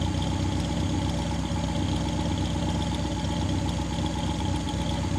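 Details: 1959 Daimler SP250 barn find, idling after cold start: even, steady low burble with no misses, knocks or hunting; healthy engine idling cleanly.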